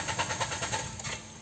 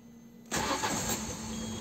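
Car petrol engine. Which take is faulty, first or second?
first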